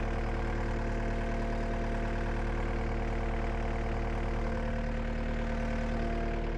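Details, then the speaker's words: Cat 279D3 skid steer diesel after main drive hydraulic hose repair, jump-started on a flat new battery: low, steady idle with even beat, no knocks, misses or hunting; sounds good, normal idle. "let it run for a little bit. Sounds good."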